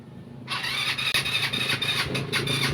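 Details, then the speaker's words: GY6 scooter with a freshly charged battery. The electric starter whirs and squeals in uneven bursts but the engine never fires. Cause is weak spark, not the battery. "kadalasang laging nagiging issue sa mga gy6 or sa scooter lalonglalo na sa mga Mio yung battery parang ganito Papaliwanag ko na lang susi natin bagong Charge po yung battery nito mga idol pero ayaw mag-start"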